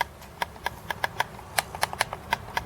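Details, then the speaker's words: Amiga mouse, tired dome switch: crisp button clicks, some loud, others noticeably softer; one button now clicks about half as loud as the other, which previously clicked weakly and needed pressing quite hard to actuate, a weak click. "That one's about half the volume of the the left one. Now, previously, you wouldn't believe it, but the left one was half as loud as the right one. So, you can imagine how little it was clicking."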